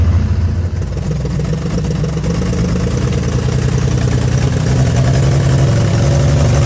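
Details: 1955 Chevy truck inline-six that sat about 30 years with a locked-up engine, now revived: a deep, steady rumble with a smooth rise in revs and no knocks or misses. Running healthy.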